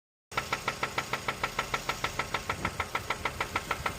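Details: Mazda 3 running without a battery, sharp, even metallic knocking about 200 per minute over a steady idle: rod knock from a worn connecting rod bearing.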